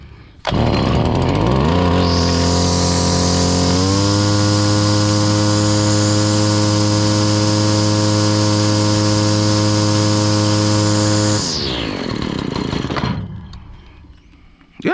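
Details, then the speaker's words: Stihl FS70R trimmer that bogged with no power, running after removing a gummed-up clogged spark arrestor: revs climb to a steady high buzz but still hesitate slightly, remaining fuel delivery fault, carburetor cleaning planned. "still seems like it got a little fueling issue going on I might have to take it and clean up that carburetor something"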